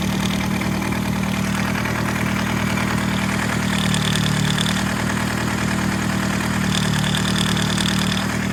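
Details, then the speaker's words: Nissan Sentra Spec V engine idling with a light metallic rattle in short spells, from the OEM cam phaser gear whose locking pin fails to hold it advanced; rpm drops with each rattle, cold-start rattle. "Listen to the little rattling. It's coming from the phaser gear."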